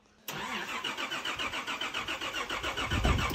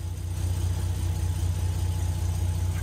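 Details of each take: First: Nissan GQ Patrol on LPG and petrol: starter cranks steadily at a regular rhythm for several seconds but never catches. Seems to be getting fuel, so likely no spark, distributor related; a wire was later found as the issue. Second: Nissan GQ Patrol that wouldn't start, running after the distributor power wire was moved to constant ignition power. Low, steady, even idle rumble with no misses; a wire had been smoking. Normal idle.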